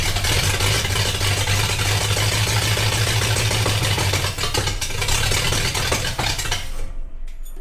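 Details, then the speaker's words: Traditional Ford hot rod started from inside the car after tank repair: loud, uneven, lumpy running that stumbles and fades out as it dies; runs poorly because the gas tank valve was left off. "well i can turn it on from in the car does it run well not really but we can fix that"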